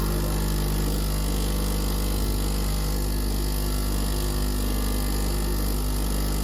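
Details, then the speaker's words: Gaggia Classic Pro pump after Barista Gadgets PID install, 103 degrees, 16 g in, 32 g out, 25-second shot, temperature held well: even low buzzing drone, no sputter or strain; normal pump operation. "32 grams right now. 25-second shot. And I would say that it held the temperature pretty well."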